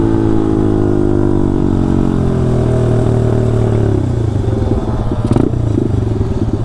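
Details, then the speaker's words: Taotao DB17 125 pit bike winding down off the throttle into a choppy, stumbling putter with loose clatter; it runs rough, cause not obvious. "bike sounds so freaking bad right now do you hear that"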